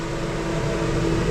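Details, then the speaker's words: Aluminum catamaran build: thermostat-controlled relay switches on the cabinet circulation fan (settable e.g. on at 42, off at 40); steady even whir with a soft hum, no rattle; normal running. "That's the circulation fan. And I can, you know, if for a hot climate, I can set it to come on at 42 and turn off at 40 or something like that."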